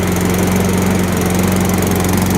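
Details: 2005 Toro Personal Pace Recycler mower with Tecumseh engine, roadside find, first run after reattaching linkages and fuel line: steady, even single-cylinder drone at constant speed, no misses or surging; engine runs normally.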